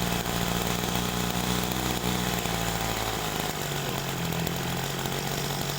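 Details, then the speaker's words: Small two-stroke sprayer engine with carburetor badly adjusted: fast steady buzz at idle, then drops slightly; idle speed set too high, mixture from low to high rpm not right. "nah oke tuh rpm-nya ini tinggi ya teman-teman ini rpm-nya tinggi pada saat posisi langsam"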